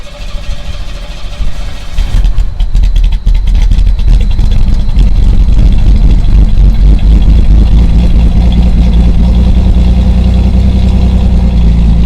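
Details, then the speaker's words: 1985 Ferio, about 87,000 miles, cold start with microphone in the back: engine catches and settles into a deep, steady, even run with no clatter or stumble; normal cold start. "all right guys cold start to the collage - very nice - she's fine"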